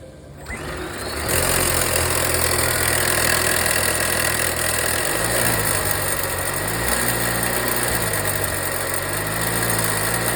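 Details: Volvo V60 B4 mild hybrid after wastegate rod replacement: engine settles into idle with a light, fast metallic rattle from inside the turbo.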